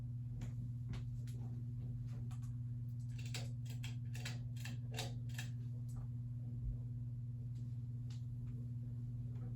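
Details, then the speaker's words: Sears-sold reversible plastic ceiling fan with Emerson motor and wooden blades at medium speed: steady low hum with a few light irregular ticks; normal, the flywheel–switch-housing design is known to vibrate and make noise without fault. "That's just how these are, and that's normal for these. I'll go ahead and bump it up to medium now."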